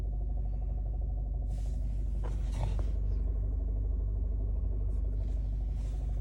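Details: 2011 Alfa Romeo Giulietta 1.4 TB Lusso, heard in the cabin at idle: deep throbbing drone pulsing about three times a second; strange abnormal engine sound.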